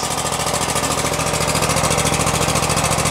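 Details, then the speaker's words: About 2016 Exmark Lazer E-series 60-inch mower, 27hp Kohler V-twin, about 3,800 hours, carburetor flooding issue, cold start on choke at half throttle: a smooth, regular idle with no surging; initial smoke clearing. A knock appears later under throttle. "it's idling it's actually idling you guys all right smoke is going away"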